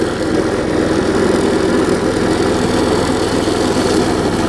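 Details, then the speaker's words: Quantum-powered 3.5 hp walk-behind weed trimmer with new carburetor, test run after tightening the loose belt, very old string; loud but steady drone with line whirring, no misses, knocks or surging. Normal running. "so you hear it runs gets a little loud but nothing too bad"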